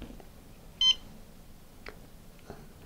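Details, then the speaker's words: MissileWorks RRC3 dual-deployment rocket altimeter after power-up sampling, with one igniter disconnected (normally main and drogue): one short high beep showing continuity on only one igniter; reconnecting gives three beeps. "I'll connect that up again and then you'll hear the difference see now I got three instead of one"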